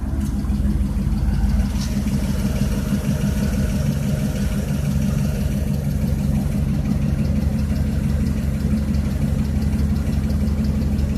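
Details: 2006 TBSS V8 settles into a steady low idle with a fast, hollow knock running through it; owner suspects piston slap, source unconfirmed.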